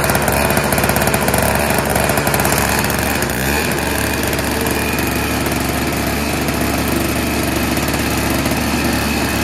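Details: Tecumseh-engined single-stage snowblower with bowl carburetor, no electric start, pull-started after sitting: small single-cylinder chugging unevenly, lumpy stumbling firing and rattly clatter; runs rough.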